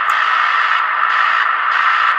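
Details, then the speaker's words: Receiver with a 0.047 capacitor fitted from the volume-control wiper to DC board ground as an audio low-pass filter. The hiss now sits in the midrange with the sharp high pitch removed. Filtered receiver hiss. "adding a point 0 4 7 in circuit gets rid of that really kind of pitch sound without affecting the mids the mids too much"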